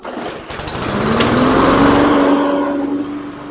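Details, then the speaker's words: Murray push mower with Briggs & Stratton 450 E-Series engine, fresh gas and oil checked, primer bulb pushed 3-4 times; catches quickly and builds to a steady, even drone with smooth firing, no misses or knocks; running normally again. "Well, it seems doing really good."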